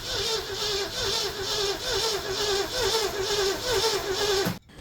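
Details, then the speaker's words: 1967 Ford Galaxie barn-stored parts car, after chasing a high squeal (suspected alternator, power steering or water pump): even starter cranking, whir rising and falling about twice a second, no squeal; normal cranking. "that's a much better turning over noise"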